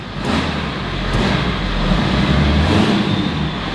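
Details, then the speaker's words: 23-year-old diesel truck, exhaust piped below cab: clatters evenly and pulls cleanly up in revs, deep steady rumble, no misses; running much better. "oh my gosh that sounds so much better it literally sounds like it's running a million times better"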